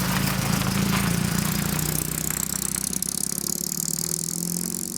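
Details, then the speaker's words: Saab Sonett with V4 engine, revived after sitting, driving into town: pulls hard, then the note sags and thins out at part throttle and needs more throttle to keep going; part-throttle hesitation, cause suspected but not confirmed. "wow it uh doesn't like partial throttle i kind of gotta goose it up there"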